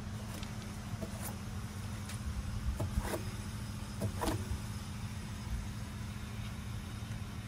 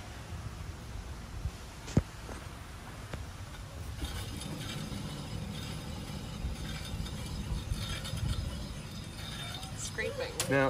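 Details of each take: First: T1N Sprinter van, front axle: soft low hum with faint brushing ticks as the wheel turns; a normal-sounding wheel bearing with only slight disc brake drag, unlike the other side's scraping bearing. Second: Mercedes T1N Sprinter, front wheel raised and spun by hand: faint gritty scraping from an early-stage worn front wheel bearing, heard as a faint noise on the road that worsened; bearings replaced with a kit.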